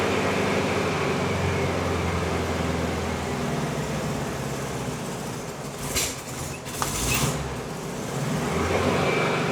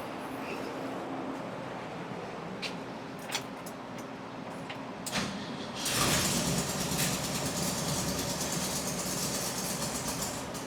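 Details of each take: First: 1971 VW Bus air-cooled flat-four, which another shop said needed a new engine, running warm: a steady, even, smooth burble with no knocks or rattles; normal running. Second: 1971/1972 VW bus air-cooled four, started on high choke: a few clicks, then it catches and runs with a lumpy, uneven beat instead of a smooth idle; rough running from incorrect ignition timing.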